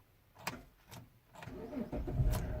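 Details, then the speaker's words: Chrysler 300, year unknown, with a starter clicking problem: a few starter clicks, then a short crank that catches briefly and dies because the key is unprogrammed or wrong; after three such tries the computer enters theft mode and disables cranking. "see notice it died that's because this key has not been programmed or either this is the wrong key"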